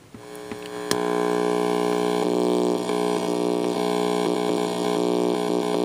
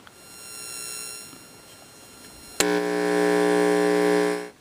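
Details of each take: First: Homemade DERB PTR AF-RF signal tracer, quick test while unfinished; steady hum with constant buzzy tone and brief pulsing patch near end; tracer passing signal and working. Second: Homemade DERB PTR AF-RF signal tracer, quick test while unfinished; steady low buzzing hum comes in sharply, holds evenly about two seconds, cuts off; quite a bit of hum, very sensitive; cause unknown.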